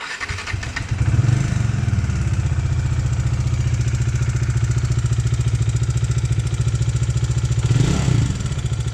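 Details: 2020 Bajaj Dominar 400 UG at 12,000 km, idling: a rhythmic single-cylinder clatter three to four times a second. It comes from cracked valve guides blamed on poor cylinder-head material; an exhaust valve later failed.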